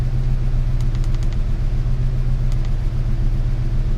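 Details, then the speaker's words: 1998 Ford Ranger 3.0 farm truck with a swapped engine, after a fix for high, rough idle: steady, even idle at about 880-900 rpm (desired 896) with idle air solenoid at 34%, a brief throttle blip, then settling back; running well. "34% on the idle air and give it just a little bit of gas let it idle back down you can see the Idol air solenoid there 24% 23% and RPMs so that's running pretty well right there"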